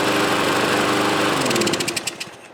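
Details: Troy-Bilt mower runs loud but uneven, then stumbles and sputters down as it dies; rough running, owner suspects the carburetor needs cleaning again.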